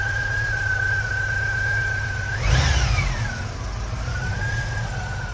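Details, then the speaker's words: 1987 VW Vanagon, at least 250,000 miles, after new belts and GoWesty alternator bracket: engine runs evenly and picks up cleanly on a quick rev with no belt squeal, unlike before; healthy. "Hopefully we don't have squealing like we had the last time. Ah, very nice."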